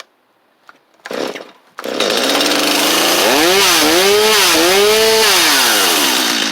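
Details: Free Stihl 250 chainsaw with good compression: pull-start, then it catches and runs clean, revving up and down smoothly with crisp throttle response; saw runs fine.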